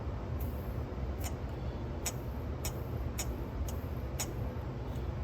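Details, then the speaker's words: Sony TC-K650ES cassette deck after cleaning and restoration; previously a whining scream from a dry gear shaft needing lubrication, now a low steady motor hum with light mechanism ticks, no squeal in any position. "i spent like 40 minutes cleaning up now it's nice you see it's not screaming him in any position so we did it"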